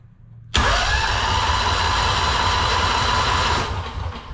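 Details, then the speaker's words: Two-cylinder Honda engine after sitting in a shed for 10 years: starter whirs with even compression pulses but the engine never catches; fuel pump not pumping, owner suspects diaphragm dried out and plans to pressure-feed fuel. "not pumping anything so i think what we'll have to do is get a jug so i can put some pressure in and force some gas through there"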